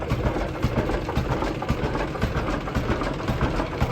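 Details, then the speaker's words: Barber Rumely OilPull Model R202 tractor at slow idle (October 2025): slow, even thump about two beats a second, fairly quiet, no knocks or misses. It burns more oil at low rpm. Normal slow idle. "Burns a lot more oil when it's running slow here,"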